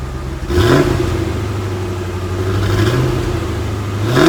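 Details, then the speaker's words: 1989 Chevrolet C4 Corvette V8, stock exhaust, cold start after sitting a couple days with Seafoam added to the fuel (startup may be rough, may show some smoke): engine catches, blips up, then settles into a steady, even low rumble with no knocking; normal cold start. "It's nothing special. Obviously, Corvette's stock exhaust is not that impressive, but it's been sitting for a couple days, so the startup may be a little rough, and I've also put some seafoam in the fuel, so you may see some smoke coming out."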